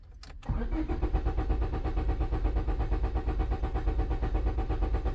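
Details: 2001 Honda Civic, no green key light on dash, immobilizer suspected: starter spins the engine at a steady, even beat for several seconds but it never fires; no trouble codes found; cause not confirmed.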